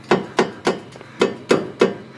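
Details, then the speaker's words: Nissan GT-R R35 exhaust: sharp metal-on-metal knocks, about three a second, as the pipe hits the brace above it; the rattle is felt through the seat. "you hear that rattling noise it's basically hitting this pipe against I think's actually right up here but that's the rattle that I'm hearing I can feel it within the seat in my car just because it's metal on metal and it's really annoying"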